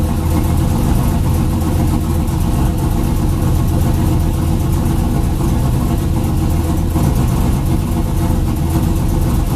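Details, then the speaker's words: 2000 Chevrolet F-body Camaro, junkyard 5.3 LS V8 with turbo kit, 1000cc injectors and retuned injector data, starts right up to a steady, even, smooth idle with no misses, knocks or hunting; normal idle. "it starts right up no problem hell yes"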